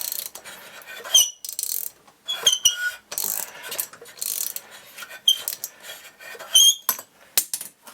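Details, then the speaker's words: Solex moped with starting problem, engine turned by hand: irregular binding and scraping strokes with short high squeaks, very tight; suspected bearing; later found out-of-round flywheel, bad decompression valve, broken fuel pump. "there's lots of binding and scraping does that be a bearing used to have compression tight oh it's really tight tight squealing sound"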